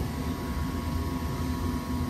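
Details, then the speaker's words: Furnace not serviced since 2017 with no-heat, burners lighting then dropping out; after cleaning the dirty flame sensor, igniter and burners, it runs with a smooth steady low burner roar, no popping or dropouts; flame holds, normal operation. "all right but we definitely got flame sets now wow sometimes it doesn't even look that dirty but it's enough to prevent it from working"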